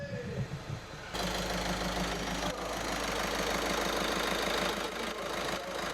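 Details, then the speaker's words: Skoda Superb 1.6 TDI diesel just started after fitting injectors, battery swapped; settles into steady idle, even clatter, no skipping or injector rattle, night and day versus before; normal idle. "That is a night and day difference compared to what it was like before. Totally smooth, ready to drive. It's not skipping. You can't hear a rattle from the injector."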